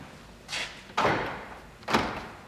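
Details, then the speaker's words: 2001 Jeep Grand Cherokee after replacing the noisy door lock actuator (built into the latch): three quick, clean thunks as the lock cycles, with no buzzing or grinding. The new actuator works normally. "and it works perfect job is done"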